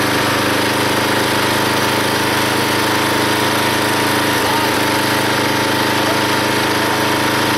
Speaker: now when it runs you can definitely hear the engine take the pressure of splitting that log and there's hardly any slipping on the pulley or on the Belt now